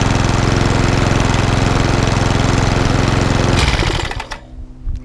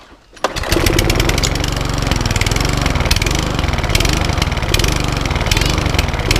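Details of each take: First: Lawnmower that hunted and surged from bad fuel, after carburetor clean (main jet suspected) and cleaned spark plug; even steady beat with no hunting or surging, then winds down and stops, normal running. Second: Cheap Sovereign lawn mower with a primer bulb, hunting and surging at idle from bad fuel; small engine fires up and its speed drifts up and down, needing a carburettor clean.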